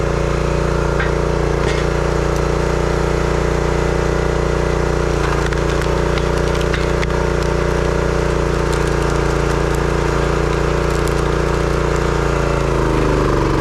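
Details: Brute 30-ton log splitter, Briggs & Stratton engine (9.5 ft-lb gross torque, roughly 5-6 hp), after no-start repair: steady, even drone holding speed while splitting wood, no stumbling or misfire; runs healthy, though seemed underpowered.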